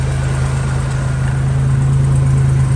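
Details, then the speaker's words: 1968 Jeep Commando 225 engine started in neutral: low, even six-cylinder idle with a steady rhythm and no knocks or misses, one of the smoothest running 225s — normal idle. "One of the smoothest running 225s that I've actually had."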